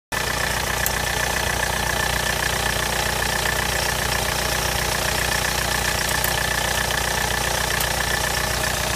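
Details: 2001 VW Polo 6N2 SDI diesel at steady idle with a light, regular tick about two to three times a second riding on top of the engine note; cause unknown.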